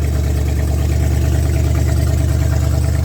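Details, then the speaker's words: Old truck engine, likely the 1978 Ford F-350 ex-U-Haul, run briefly with radiator removed; alternator hitting a cable: deep, even, steady idle with no knocks or misses; sounds like a healthy engine. "But it sounds like a healthy engine. We won't run it for too long because the rad's not in it"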